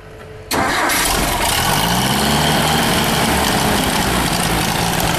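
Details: Ford 3.1L 192 industrial 4-cylinder gas engine with Zenith carb from a Ditch Witch R65, fresh gas, 40–50 psi oil pressure, some blow-by; fires almost at once and holds a smooth steady idle, no knock or tick; runs good.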